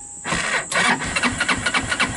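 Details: 2014 Linhai Big Horn 400 UTV after doubling and relocating the battery closer to the starter and fitting a higher-rated starter solenoid; voltage drops from 12.1 V while cranking. A brief starter whirr, then quick even pulses about five a second as it catches; normal start.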